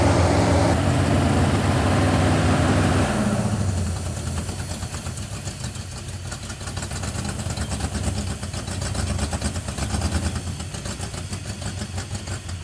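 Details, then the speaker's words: 1971 Plymouth Satellite 318 V8 with a newly fitted Thermoquad carburetor: steady, even engine beat stuck high near 2,000 rpm, never dropping to idle. Fast idle from a hanging secondary air door linked to the choke pull-off. "I'm setting the idle speed down, but I noticed that the secondary air door is hanging up, and that's causing it to idle fast. So it turned out the thing wouldn't idle at all, except at like 2,000 RPM."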